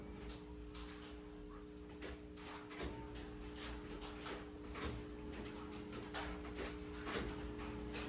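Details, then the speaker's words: 1997 Ford F-250 with 460 gasoline V8, cranking on a different battery; slow cranking about two compression beats a second, never catches; owner concludes a fuel issue, cause unknown. "It is a fuel issue. But why are we not getting fuel?"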